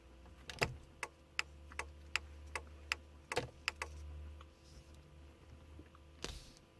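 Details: VW Passat: sharp, dry relay clicks about twice a second from the indicators even though they are switched off.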